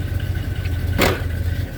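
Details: 1978 Chevy C10 truck with a freshened engine, 400 Turbo transmission, 4.3 starter and recently adjusted carburetor: even, low V8 burble at steady idle with one short bump of noise over it; idling smoothly.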